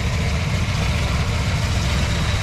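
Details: 1966 Mustang 289 V8 with 2.25" Purple Hornies exhaust, after timing cover gasket, water pump and oil pan work: steady, even low rumble with no knocks or misses; smooth, healthy normal idle.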